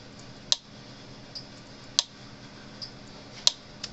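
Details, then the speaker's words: Cyclops Master electric fence charger on the bench after rewiring terminals, just switched on: sharp even snap about every 1.5 seconds over quiet background; normal fence charger pulsing. "all right let me turn it on so it happens all right clicking snapping"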